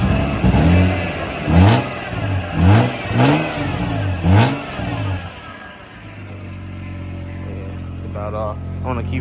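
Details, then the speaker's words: Toyota MK3 Supra at its first start after purchase, muffler cut off: loud open exhaust blips up and drops back cleanly several times, then settles to a steady idle. Engine sounds healthy, just unmuffled; clutch cylinder still to fix. "yeah looks like it's moving slow but that thing moving fast she sounds good y'all give her a nice little red for you"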